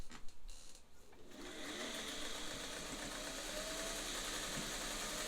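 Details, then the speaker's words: Vintage Singer 400 series zigzag sewing machine, motor overhauled with fresh bearing lubrication, sewing straight stitch at longest stitch length: after handling noises, smooth steady whir at constant rate, no rattle or grinding; sounds as it should. "this one actually sounds like it should"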